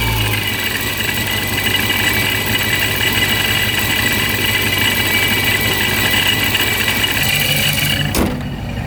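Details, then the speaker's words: Procharger-supercharged Scat Pack at warm idle on an 81°F day: steady high-pitched whine over a smooth idle; owner unsure whether it is normal, sounds about the same as before. "So it still sounds about the same. I'm not really sure what's going on with it. Some people say it's normal, some people say it's not."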